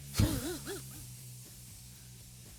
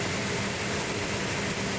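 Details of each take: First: Classic car on its first cold start attempt, distributor not yet set: the starter chugs steadily for a few seconds but it never fires because no fuel has reached it; a fuel leak is found afterwards. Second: Car under restoration started after distributor setup with no primer fuel and choke held, ignition being advanced; steady, even engine note with smooth low hum, no knocks or misses, sounds healthy right after starting.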